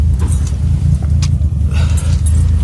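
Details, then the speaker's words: BMW E36, leaking oil about 3,000 miles: deep, lumpy, uneven idle, engine struggling and hunting; vacuum lost through an unseated dipstick. "That should not be sounding like this. Struggling."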